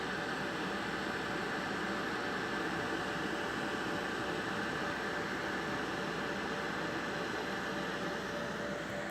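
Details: IBM/Lenovo ThinkCentre desktop computer (trash-picked): smooth steady airy fan rush with faint constant hum, no rattles or pitch swings; fan sounds healthy.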